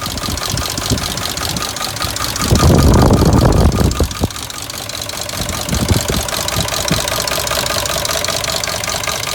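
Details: 2003 Dodge Durango 4.7L V8 running; busy irregular metallic rattle over the idle with a louder rough patch midway, engine rattle, source not pinned down.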